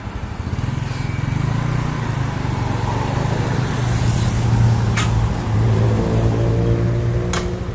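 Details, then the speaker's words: Yamaha Mio Sporty scooter after repair for lost compression (leaking valve or piston rings blamed): even, steady single-cylinder beat with clean rev rise, no knock or miss; engine smooth, no smoke, stable idle, exhaust leaks. "ni nalpotnya bocor untuk mesinnya halus ya [Musik] ini sudahah engak ngebul dan juga ini stabil ya langsamnya kita mau coba"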